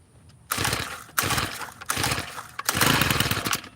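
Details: Tiller on choke after the carburetor mixture screw was backed out half a turn: four short sputtering catches that each die within a second. Nearly starting; it later started with the choke off and some throttle.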